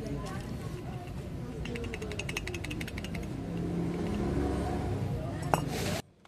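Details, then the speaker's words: Suzuki Alto wheel hub, wheel and bearing cover removed, turned by hand: rough, uneven ticking and grating from a bearing low on grease; owner reported weak brakes and noise over bumps: dry wheel hub bearing noise. "At dahil sa kulang na rin sa grasa yan mga boss, ang gagawin ko diyan lalagyan ko na lang yan ng grasa."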